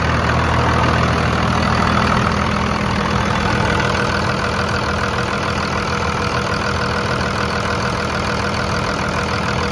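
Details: 2000-2002 Dodge Ram 2500 diesel idling after fuel filter replacement: steady idle with even clatter around three beats a second, no stumbling or hunting; running clean.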